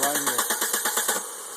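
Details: 1995 Volvo 850 crank no start: starter cranks evenly about eight pulses a second, never catches, then stops; the failing fuel injection relay (gray, left of fan relay) isn't feeding fuel until tapped with key on.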